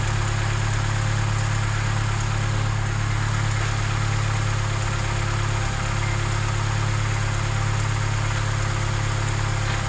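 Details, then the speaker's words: Vauxhall Corsa after replacement starter fitted, cold day: starts, then steady, even low idle hum with regular beat, no knocking or ticking; normal idle. "so it starts again sounds good"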